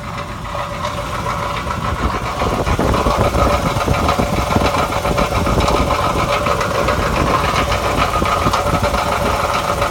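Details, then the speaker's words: 1991 Cadillac Eldorado, 80k miles, long neglected, engine running smoothly at idle: loose, uneven metallic rattle from the catalytic converter like marbles inside; exhaust rattle, cause suspected. "Here's the catalytic converter. Sounds like it's got a bunch of marbles in it."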